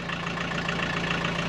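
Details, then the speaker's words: 1984 Mk1 VW Rabbit (Golf) diesel, parked since 1997, on its first drive after revival: steady, even idle clatter with no knock above it as the oil light comes on; low oil pressure warning, owner suspects a bad sensor. "uh oil lights on cut it off cut it off cut it off maybe the sensor is bad and that's why they had an oil pressure gauge they were putting in here"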